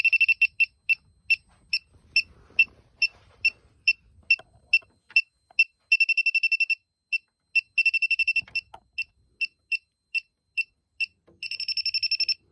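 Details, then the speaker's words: Elitech WJL-6000 refrigerant leak detector confirming a known leak where soap bubbles form, especially after system shutdown; soap residue possibly triggering it; rapid high-pitched beeping speeding into bursts near the joint; refrigerant leak detector alarm at leak. "i spread soap there a couple days ago that off the compressed air i don't know if that's what the detector is picking up because that's where i see a leak"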